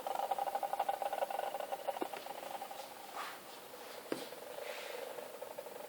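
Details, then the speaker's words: Meade LX90 telescope mount just back, a sound the owner doesn't recall it making: faint, dry scratching ticks, about four a second and then fading unevenly, from the motor drive; source unclear, possibly rough gear mesh. "this is just a short video to illustrate the sound of my LX 90 is making"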